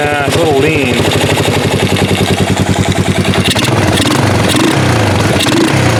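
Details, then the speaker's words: 1988 Yamaha Moto 4 ATV rescued from a field, running again and a little smoky. Single cylinder runs steadily with an even, fast putter, no knocks or rattles; owner judges it slightly lean but sounding good. Normal running. "lean nothing wrong with that and that sounds pretty good actually"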